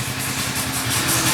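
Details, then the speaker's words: Kawasaki ER-6n parallel twin after crankshaft and bearing replacement for engine noise: steady, even idle with a smooth low pulse and no knocking or tapping; engine noise gone, normal idle. "sem barulho nenhum no motor."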